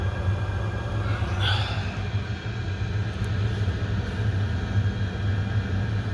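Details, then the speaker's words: Oil boiler that kept locking out and sooting up, after nozzle change and settings reset to factory: steady even low roar with no pulsing, burning clean enough for analyzer; normal burner operation. "changed the nozzle it's now burning clean now it's clean enough to put an analyzer in"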